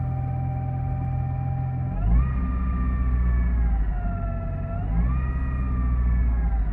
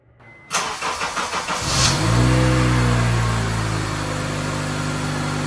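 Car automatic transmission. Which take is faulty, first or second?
first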